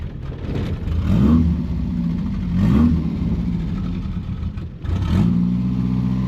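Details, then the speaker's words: 1977 Daihatsu F10 with swapped 3K engine, junk carburetor and faulty fuel pump, cold and still needing choke: three blips with revs sagging and stumbling between them plus some clatter; rough running when cold. "She still wants a little bit of choke. Look at the fan works. How do I turn that on? That Oh, wow. Oh, it sounds like hot garbage."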